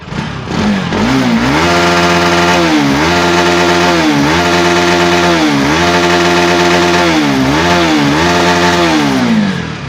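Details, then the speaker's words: Carbureted vehicle after fixing coolant temperature sensor connector with broken pin that kept radiator fan running: engine revs up and down smoothly, clean even note, fan stays off, no knocks or misses. Normal engine rev. "Radiator எவ்வளோ rice பண்ணாலும் radiator ஓடல. Radiator ஓடுற sound நமக்கு கேட்காது."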